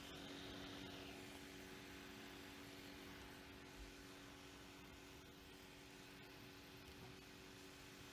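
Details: Lenovo Yoga 730 15-inch (i7-8550U), left CPU cooling fan faulty from new, before the fix: steady whirring with a rough, gritty grind and a faint tone; fixed by replacing the fan with a new one.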